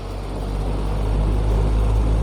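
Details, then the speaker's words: Imarflex 18-inch electric fan after repair (was slow to start): strong steady low whoosh building as blades reach speed; now runs strongly, where before repair it could not start. "อ่าเสด็ใบพัด18นิ้วนะครับเนี่ยถือว่าแรงเลยครับซึ่งก่อนซ่อมนั้นนะครับออกโดยไม่ได้เลยไม่หมดเลยนะครับ"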